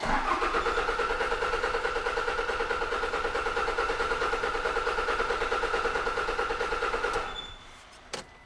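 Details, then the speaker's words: 2006 Toyota Hilux 2.5 diesel D4D, no codes: even cranking about two turns a second for seven seconds, never fires; no fuel pressure at the pump and low fuel; a blocked tank is suspected over the filter. "No. Right, I'm suspecting we have a problem with the tank. The reason I say that is, if the filter was blocked, we should be getting pressure here, but hardly any fuel coming out. We're getting no pressure on this pump."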